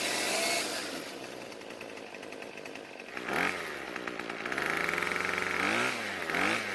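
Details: Craftsman two-stroke string trimmer after richening idle fuel (L screw a quarter turn counterclockwise); the high-speed H screw needed no adjustment: high buzzy note revving up and settling back cleanly several times. It picks up and idles fine.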